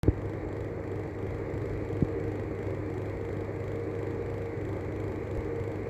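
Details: Arlec 200mm exhaust fan with bad bearings: a steady low rumble with a rough, uneven whir and occasional scrape as it spins, the sound of worn-out fan bearings.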